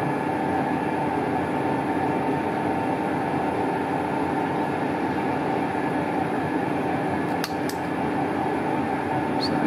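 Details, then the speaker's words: Colchester Triumph 2000 lathe taking a cut: steady buzzing vibration runs through the whole cut instead of a clean hiss, tool chatter leaving a horrible rough finish; hoping to clean up with a five-thou skim. "that light back light off I mean that was cutting but it's just horrible so I wonder if we can clean that upward up with a five thousand skim"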